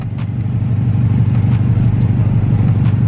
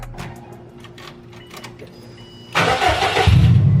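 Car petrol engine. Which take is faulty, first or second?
first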